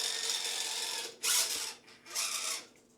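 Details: Redcat Ascent18 Scout II 1/18 RC truck with twelve option parts added, including an aftermarket gear set; short bursts of harsh, very loud high gear whine rising and falling with each throttle blip; noisy transmission gear set.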